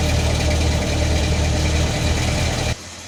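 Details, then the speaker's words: Del Rey CHT at a rough idle until shutdown, with a fast, uneven metallic clatter riding over the engine, audible from a distance; timing chain rattle, apparently resolved later. "Ó lá, de longe você ouvia barulho, o barulho da corrente de comando."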